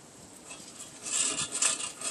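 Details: 1989 GMC C1500 front suspension, springs out, jack down, fighting memory steer: dry, gritty rasping in short bursts as the loose ball joint is worked by hand; worn ball joint due for replacement.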